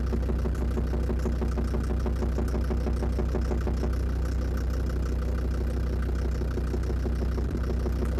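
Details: Land Rover Defender TD5 diesel idling after radiator work, mic near snorkel/intake; steady rhythmic knock three to four per second over clatter, owner suspects exhaust manifold, most likely faulty hydraulic lifters; unconfirmed engine knock.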